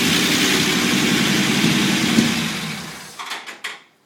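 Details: Unimog 404 first start after new fuse boards and a rewire: even idle with a steady beat about four per second, then shut off and spinning down; runs smoothly, normal idle.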